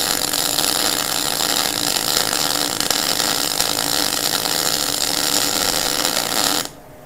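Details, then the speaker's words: MIG weld with the torch held close so shielding gas covers the weld, same settings as before, after the earlier popping came from too much stick-out: steady, even frying crackle with no pops or spits, a properly running weld. "hear that guys it doesn't pop it just makes that nice noise again"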